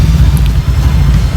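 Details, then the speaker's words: Honda Vario 150 New (K59J) on Juken 5+ ECU after remap to Core 2, idle rpm setting changed; low, throbbing, uneven lumpy idle, rough, idle screw then opened slightly (under three turns), crank noise still harsh; cause unconfirmed. "nah ini suaranya kayak gini agak kasar"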